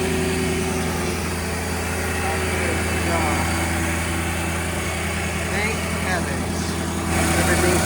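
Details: Mercedes G-Wagon V8 idling after engine cleanup of stray oil, new oil, new filter and fresh coolant: steady even low rumble, no knocks or misses; slight smoke from residual oil burning off, otherwise running fine; normal idle.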